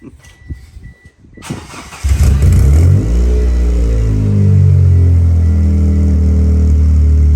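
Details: 1996 Eclipse starting after fuel pump work, with no water in the cooling system: after a short crank it catches and settles into an unsteady, wavering idle; running but rough.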